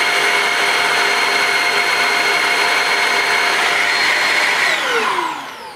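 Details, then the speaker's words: Shark Rocket corded handheld vacuum, new (550 W suction motor, 80 W power nozzle), brush roll on setting one for hard floors: steady high motor whine with a soft, even brush hum, very slow brush speed, then it winds down at shut-off; normal operation. "that is very slow obviously you don't want the brushes rotating at a high speed because it can scatter the dirt on a hard floor but that's that's slower than I expected it to be"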